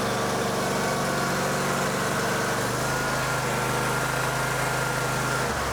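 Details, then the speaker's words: John Deere X350 riding mower, sat several years, fuel line primed, new knockoff carburetor: small single-cylinder engine catches and settles into steady even running with no stumbling, then throttles down; runs clean and well. "Uh this is new. It's a knockoff and I'm actually surprised it's working really well right now."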